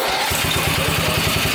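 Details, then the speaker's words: Jacobsen Homelite rider tractor after electrical repair of fried wiring: small single-cylinder engine catches quickly, settles into quick even firing pulses with no misses, though it vibrates noticeably at the seat; normal running. "oh yeah the engine vibrates a bit though that's the one thing I didn't like about it is that it it bothers me here in my butt"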